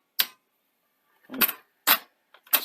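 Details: A 1982 Sony SL-C6 Betamax, after a deck overhaul with new belts and idler tyres, ejects its tape cleanly. The eject gives a few crisp mechanical clicks and clunks in quick succession, with no grinding or straining.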